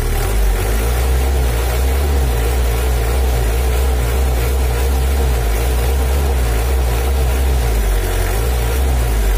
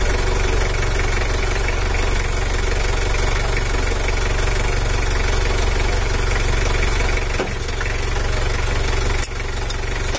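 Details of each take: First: Factory-stock Mitsubishi L300 4D56 diesel, untuned since 2016, that was weak on hills and slow to pull. After valve and injection pump adjustment, the idle is steady with a dry low clatter and no misses or surges. Normal idle. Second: Factory-standard Mitsubishi L300 4D56 diesel, weak on hills, after valve clearance adjustment: steady idle with an even clatter about three per second. Throttle response is still slow, so the injection pump is being adjusted for more power.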